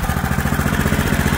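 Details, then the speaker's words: Auction-bought 8 hp Honda small single-cylinder engine, running after a little initial priming, old carb still fitted: thumps along at a settled speed with a steady, even beat and no misses; runs sweet and healthy. "our eight horse hondur is going and don't that sound nice"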